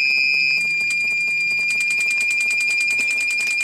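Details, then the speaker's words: Bespoke remote kill switch on a petrol mini quad bike: the relay pulses with a high electronic tone about three times a second, cycling the ignition on and off in its adjustable cut-out mode. "if we press that one you can hear what it's going to do to the ignition the Reay is sitting there turning on and off the uh off the ignition to the bike"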